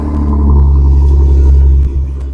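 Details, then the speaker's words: Jeep JK at idle with its corroded stock cat-back exhaust, recorded before replacement with a Flowmaster cat-back; deep, steady low rumble, even, with no ticks or blowing leaks. "Alright, let's go ahead and give the engine a turnkey there, and let's listen to the exhaust before it gets replaced."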